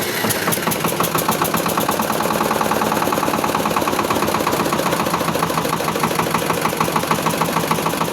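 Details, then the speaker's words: Shifeng 244 single-cylinder diesel tractor idling in neutral on a little hand throttle after sitting outside overnight: quick even clatter with no knock or heavy vibration; knock usually blamed on factory-advanced injection timing. "Ось стукита нема ніякого, щоб сказать велика вібрація. Вібрації теж нема."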